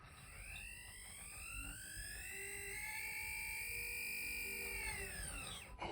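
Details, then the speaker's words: Replacement Accurascale Andrew Barclay model locomotive on a rolling road: thin whine climbs in pitch as power comes up then settles, motor spinning freely without driving wheels; motor suspected detached. "but I detected that the motor detached there because I could hear the motor whining and it sto moving"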